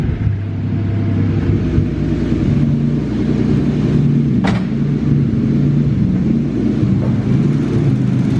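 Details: BMW E36 drift car, M50B30 turbo straight-six (about 300 kW at wheels on 10 psi), first start after heavy-duty clutch install and coil pack work: deep even rumble settling into steady idle, no misses, stumbles or knocks; normal idle.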